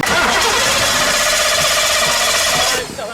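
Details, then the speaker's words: Cobra broken down on the road, no fuel reaching the engine and no fuel pump heard, fuses all fine: starter churns steadily at about four beats a second but engine never fires; immobiliser cutting fuel suspected, not confirmed. "Yeah, there's still no fuel pump."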